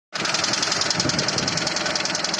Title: посторонний шум в двс 402